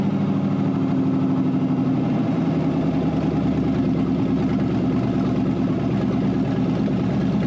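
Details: Wrecked 5.0 V8 Mustang non-runner on open headers, running after a missing engine ground was added: smooth, even idle with a steady low burble and no misses or knocks; engine sounds healthy; normal idle.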